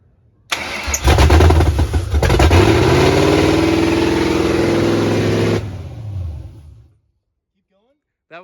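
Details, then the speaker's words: Replacement 3V 4.6 Mustang GT engine, first start on open headers with the throttle body off and the MAF unplugged: roars up and hangs near 2,000 rpm at an uneven idle, then shuts off. Like a big vacuum leak. "But basically, it was like running with a big vacuum leak because there was no intake on it and everything. So the RPM came up to like 2,000 and hung for a second there."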